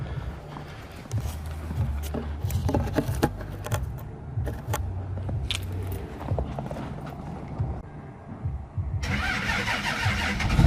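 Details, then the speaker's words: Cummins diesel truck cold-started at -6 with grid heaters unplugged and the truck not plugged in; cranks, catches easily, then lumpy, hunting, loping idle with lots of smoke; rough cold start without grid heaters, which otherwise prevent it. "It doesn't do that if it's got grid heaters. It just fires right up. It's hilarious. Yeah, so that whole loping thing where it's all freaking out with all this smoke, if you got grid heaters, it doesn't do that."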